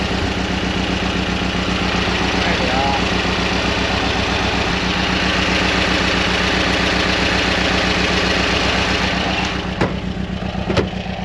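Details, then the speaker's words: Steady idle with a regular stumble from the engine, number one cylinder missing so it runs on three; owner suspects blocked idle jet from bad jerry-can fuel, will pull the jet; at higher RPM the main circuit feeds all four. "um the good thing is because it's only the idle circuit um when I'm up when I've got my RPM up I'm able to um it'll then change to the main circuit and then it runs on all four so it's not an issue it's just that idle"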